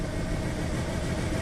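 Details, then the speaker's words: 1994 Ford Ranger 4.0 V6, about 171,000 miles, idling low and uneven with an irregular lumpy beat, shaking like a dead cylinder; MAF 0.08, sensor one rich, sensor two lean; rough idle, possibly flooded or very rich. "it's shaking like crazy like it has a dead cylinder"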